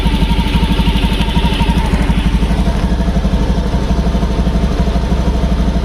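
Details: Fuel-injected motorcycle that had hesitation and stutter without fault codes, after adding a ground wire that brought ground resistance down from about 21–24 to 3.6: even, steady idle pulsing about three times a second with no stumbling or misses.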